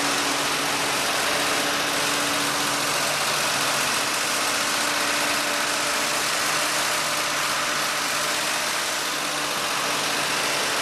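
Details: 1948 Ford F-5 truck, cold start after sitting unrun for over a year, on choke with the throttle pumped by hand: the engine holds a steady, even idle with a low hum and no misses; running fine, a good start.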